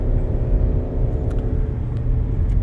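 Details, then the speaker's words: 2013 Hyundai Santa Fe under acceleration, loud deep engine drone with little gain in speed, lacking power; owner suspects a plugged exhaust, earlier heard a rhythmic knock on acceleration feared as rod knock. "sound like a Honda Civic. Some kid has a air induction kit on it, and the car accelerating up the road, and you hear is whoa, and they're going absolutely nowhere. That's what it sounds like to me. So that, to me, tells me I got a plugged exhaust."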